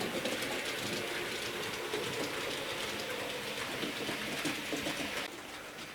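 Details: J36 "Haig" model steam locomotive after oiling dried-out bearings, push rods and tender and greasing the driving cog: smooth, even whirring and rail rumble at steady speed, no grinding or squeal; runs freely and sounds healthy.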